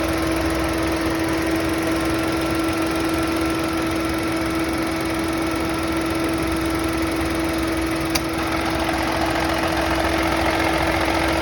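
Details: Chevrolet Onix (GM) engine: steady idle with a constant mid-pitched hum and faint irregular ticking underneath; owner asks what the unusual engine noise is, cause unidentified.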